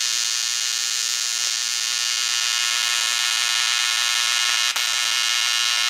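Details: ProTIG 200 TIG welder after setup mistake fixed, gas regulator at 35–40 while flowing, thinner piece: steady even high-pitched arc buzz without sputtering or popping; stable normal arc, far better than before.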